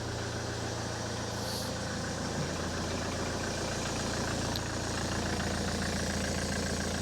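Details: Ford S-Max 2.0 TDCi diesel started after a fuel filter change and left ticking over to check for leaks. A steady, even idle holds for several seconds without hunting or cutting out.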